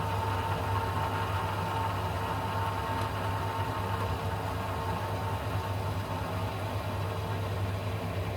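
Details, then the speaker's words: Baxi Combi 133 HE Plus boiler in heating mode after diverter valve and actuator motor replacement: pump hum with a thin whine that rises, then turns much quieter as trapped air clears from the circulating pump. "about to go now there it goes now now the pump's going a lot quieter now yeah yeah that big difference so that's the air dissipating"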